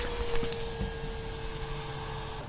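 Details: 2003 MerCruiser boat engine, no-start: key cycled, fuel pump gives a thin steady mid-pitched whine about two seconds then cuts off, drawing about five amps; pump spinning with no fuel.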